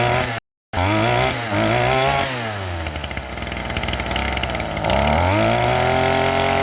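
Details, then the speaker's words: STIHL FS38 two-stroke string trimmer idling steadily after a brand-new carburetor fitted, unrun for at least 2 years; high-speed screw turned up to max RPM, catches and settles into an even buzzing idle without stumbling: normal idle. "idling just fine. The high end was a little bit low, but all I did was squeeze the trigger and turn the high end until we got max RPMs out of it. It's idling just fine."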